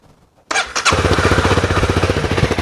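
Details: Used motorcycle restarted: quick crank, catches within half a second and settles into a crisp even thump at idle; healthy start.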